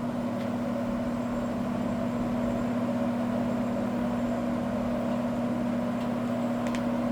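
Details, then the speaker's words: Old, probably 1960s, Happy Home box fan, likely window-type, on high during an initial run: smooth, steady hum with an even airflow rush and no rattles or scraping; runs like new, though the blade later hit the cabinet again. "Wow. I can't believe how good this [ __ ] thing runs, dude. It runs like brand new."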